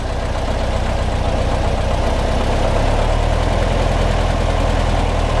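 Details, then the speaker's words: 1955 Porsche 356 Pre-A Speedster at first start before tune-up, stone cold, in neutral after pumping the accelerator: idle with a steady low thrum and a faint occasional uneven stumble; mostly smooth but slightly rough. "the most part I mean it's stone cold of course doesn't sound too bad they're completely smooth though I think we can we can work on that"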